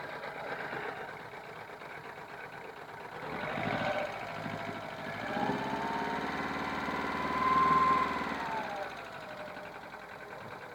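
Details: 1999 VW Polo 6N1 petrol, extremely rough idle after new head gasket, injector #2, HT leads, throttle body and coolant temp sensor; pulsing about four times a second with two rev rises, sooty plugs, maybe running on three cylinders.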